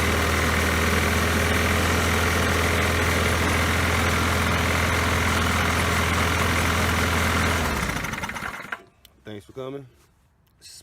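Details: Poulan Pro mower that had been sitting, after refitting the forgotten throttle spring: steady even drone about eight seconds without surging, then clean wind-down; runs smoothly.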